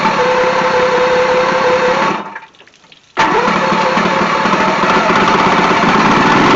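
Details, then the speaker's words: Vintage 1972 Mercury 1150 (115hp) outboard on a Slick Craft, unstarted for a week or two, quick cold start before a sale: runs, cuts out briefly, then catches cleanly and settles into a steady, even idle; normal healthy cold start. "I haven't started it in about a week or two. So I just want to make sure the engine runs and it'll start uh for them. So let's let's do a quick cold start."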